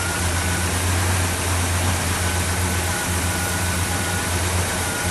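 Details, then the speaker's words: 1979 International Scout II, all original, 57,983 miles, just started at idle: steady low rumble with slightly raspy exhaust note, louder than two years ago but not real bad; loud exhaust at idle, muffler getting louder. "Now, 2 years ago, the muffler was quieter. It's a little bit louder now, but not real bad. But you know, the exhaust is not bad, but it is getting a little louder."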